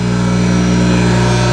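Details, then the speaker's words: Hayward SP2910 pool pump motor after bushing kit replacement, bearings oiled with Pro Lube: steady, even, quiet electric hum, quieter than before, no rattle or grinding. "Listen to that, humming like a charm."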